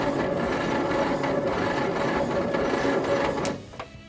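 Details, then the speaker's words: Leyland FG COE truck with two dead exhaust valves (cylinder 2 and possibly 4) cranks steadily at about three turns a second but never fires; battery ruled out, starter suspected of slowing after a few cranks: slow cranking, no start. "So I don't think the battery is the problem. I think that starter, once it's cranked over a couple of times, actually slows down, which is not going to be helping."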